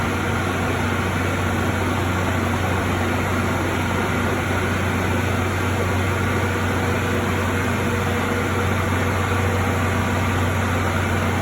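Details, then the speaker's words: ADV ES4000 scrubber-extractor with a water-pickup complaint, running after hoses were cleared of years of debris: steady vacuum motor hum with airy rush and little pull; suction weak, one vacuum motor failed and batteries weak. "okay I don't feel a lot of suction a lot of great suction um as I'm seeing all this and this is building up"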